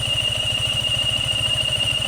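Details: Yamaha Sniper 155 FI motorcycle idling lumpily with a steady high-pitched whine from the water pump, alongside an oxygen sensor error code; the radiator fan runs; the water pump seal was found damaged on dismantling.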